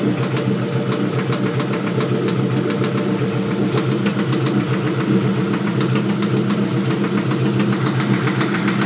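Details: LS Vtec engine at idle: dull, loosely spaced knock about twice a second over the engine; owner suspects rod knock but is not sure.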